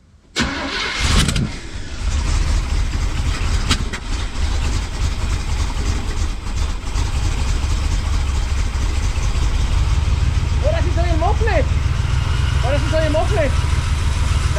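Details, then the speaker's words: Chevy 350 small-block in a C10 square body, just fitted with an Edelbrock intake manifold and carburetor and a reinstalled distributor, cranks, catches quickly and idles with a strong, even low rumble and no misfires; timing not yet set. "shit sounds good, mira, ven. But I need my timing gun. Yeah, I know. Oye bien, güey. Mira, ven, güey. It sounds clean. Mira. Sounds clean. Sounds hella clean."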